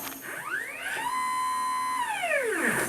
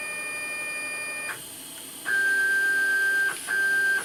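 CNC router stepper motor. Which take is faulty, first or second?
first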